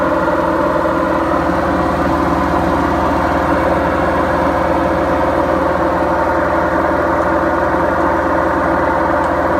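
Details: Beko washing machine, 7 years 8 months old, gives a loud, continuous, rough low roar throughout the spin: worn drum bearings.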